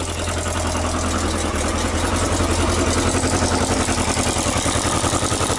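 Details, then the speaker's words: Yamaha XJ900S Diversion after straightening a dented exhaust flange finger that was causing an exhaust blow: even, steady idle with a smooth unbroken exhaust beat, no ticks or misses; normal idle. "so as you just see it sounds pretty awesome"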